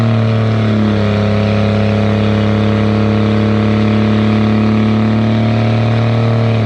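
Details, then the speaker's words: 2nd-gen Dodge Cummins diesel automatic towing heavy up a steep grade with cable locker: steady deep drone under load, quick pitch drops at each upshift and early torque converter lockup; normal shifting. "Because you can hear in the video, I start off really easily, and it goes through the gears really quick, and it begins to lock up the torque converter right off the bat."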